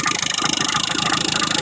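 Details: Engine at idle, mileage about 20,000 km: fast, even rattle of roughly twenty-five beats a second over the idle; failed timing belt tensioner.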